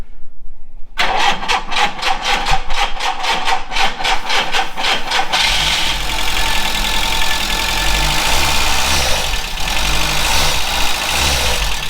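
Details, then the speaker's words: VW Scirocco Mk2 Tropic carb engine after long storage, vapor separator bypassed, fresh fuel: starter cranks evenly, catches on starting spray and idles roughly, surging and sagging as if fuel-starved; suspected fuel pump, carb or choke. Runs only briefly on spray. "yep right so it works with some spray"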